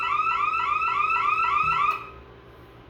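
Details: Bosch Radionics 4012/8012 security panel demo: rapid repeating rising siren sweeps, about three or four a second, cutting off abruptly when silenced; burglary alarm triggered by tripping the warehouse motion zone while armed away.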